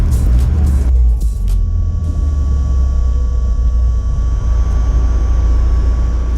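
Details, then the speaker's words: Mazda Miata retrofitted with 2010 Volvo S40 electro-hydraulic power steering pump, running Dexron 6 fluid: faint steady high electric motor whine under low rumble; normal for this pump. "And there's the small matter of that electric motor whine."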